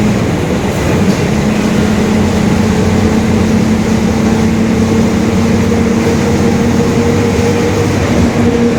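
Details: 2021 Marcopolo Torino S urban bus on a Mercedes-Benz OF-1721 Bluetec 5 chassis, extended length, cruising steadily. A low, constant droning growl comes from the rear drive under the road noise: a worn differential growling.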